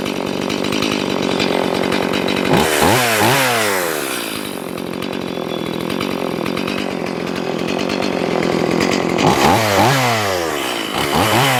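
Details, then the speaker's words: Stihl MS180C chainsaw after repair of chain spinning at idle (not the clutch), cold start: small two-stroke buzzes steadily with quick throttle blips rising and falling cleanly; healthy normal running. "I'll show you what it's supposed to look like and what it's supposed to sound like. Cold start here."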